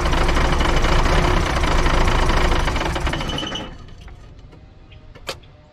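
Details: Diesel dump truck that ran fine in a recent cold start, after priming the fuel system: clatters roughly a few seconds then fades and stops on its own; owner suspects a bad lift pump, not confirmed.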